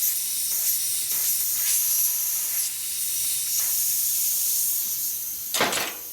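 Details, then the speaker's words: Harley panhead wheel inner tube inflated after fitting a new valve core. A steady, sharp hiss of escaping air runs throughout and rises near the end. The tube itself is faulty, not the core or stem, and needs replacing. "So far it's not leaking. This is leaking. It's leaking. Now it's really leaking too."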